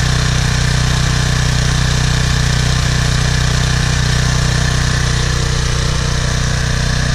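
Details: PowerFlow+ pressure washer, Briggs & Stratton 190cc, after carburetor cleaning of clogged jet and dried gas from over a year sitting: even steady low thrum, no misses, surges or hunting; runs smoothly and healthy.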